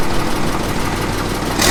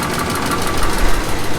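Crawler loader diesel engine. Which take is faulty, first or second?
second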